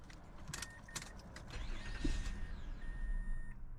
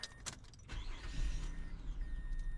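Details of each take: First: 2005 Mazda 6, code P0335 crankshaft position sensor circuit, EGR unplugged: starter whirrs, engine catches briefly then dies within seconds while door chime sounds; starts and stalls rather than crank-no-start, like a security issue; code suspected misleading. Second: 2005 Mazda 6 with start-and-stall complaint and misleading P0335 crank sensor code: short crank, catches quickly and settles into a low even idle without stalling; mechanic suspects a bad mass airflow sensor.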